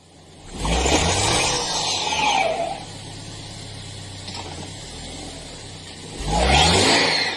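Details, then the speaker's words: Subaru Outback with 167 miles on the odometer, bought the day before: the engine revs up twice from a steady idle while the vehicle stays put and will not move. "cette Subaru Outback avec 167 m au compteur a été amené par un client qui vient de l'acheter la veille et maintenant elle ne veut plus avancer"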